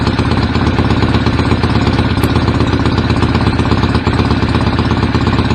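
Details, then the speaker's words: BSA A50 Royal Star twin, bought as a non-runner, first running after restoration with pattern straight-through exhaust pipes: loud, crisp, even chuffing idle; owner unsure whether the air lever is fully off. Normal idle. "uh yeah so they're quite meaty but I know straight through pipes so hopefully we should have a running bike"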